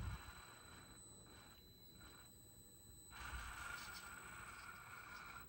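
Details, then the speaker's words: Hobbyplus CR18P Evo RC crawler, metal-geared 2-speed transmission, stock ready-to-run, bench test in low gear: quiet, smooth gear run with only a faint steady high-pitched ESC whine. Normal drivetrain running. "That's pretty smooth, nice and quiet. I mean, there's a little bit of a ESC whine there, you can hear it, but not like a lot of RTRs we get."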